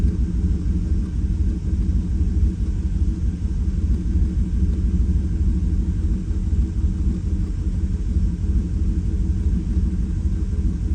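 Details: 2018 Chevrolet Silverado V8 at idle on a jump starter, still misfiring after injector six was swapped to cylinder one to see if the miss follows: uneven, stumbling loping idle; seems to be more than an injector.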